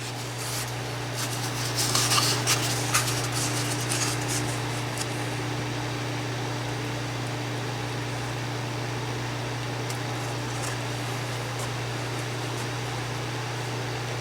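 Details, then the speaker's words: 1997 green Duracraft DT-7 Series Turbo Fan with an unbranded motor, running on low: a steady low hum with an even airflow rush and no rattles, ticks or scraping. Not loud, pushing lots of air; runs smooth and healthy. "Okay, it's running, and it's not that loud, but it's pushing out a lot of air."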